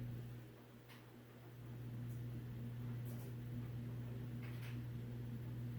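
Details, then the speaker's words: Vintage 1950s-60s FASCO two-speed 20-inch box fan, recently oiled: low steady hum slowly fading as the fan coasts down, no grinding or rumble; smooth run-down showing healthy motor bearings. "so yeah this motor's got very healthy bearings okay finally stopped"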